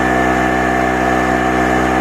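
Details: Harbor Freight 900 W two-stroke generator, about 7°C, running light bulbs at roughly 225–350 W: constant buzzing drone at fixed pitch, no hunting or surging; steady running under light load.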